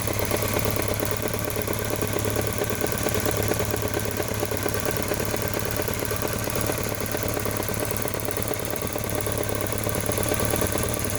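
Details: BMW K1200RS motorcycle at steady idle with a light, fairly even top-end ticking about three per second; owner can't tell if it's the throttle body, cam chain or valves, and leans toward throttle body.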